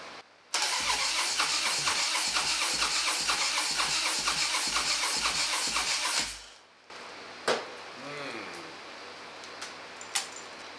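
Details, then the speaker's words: Harley Dyna that broke down on a road trip, battery charged about 30 minutes: sluggish, even cranking about four turns a second for six seconds, never catches; battery too weak to keep cranking. "battery just does not want to doesn't want to uh have enough ass to get this thing going repeatedly or make attempts repeatedly"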